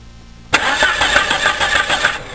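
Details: Car that cranks but won't start, spark confirmed at the coil and spark plug wires: steady starter cranking for about two seconds, never catches; failed fuel pump.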